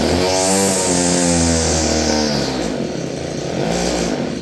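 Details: Roughly 30-year-old Stihl FS56 curved-shaft two-stroke string trimmer: it revs briefly, then the pitch sags and stumbles instead of holding high speed. It has no high speed and bogs unless choked. Owner suspects it needs carb work.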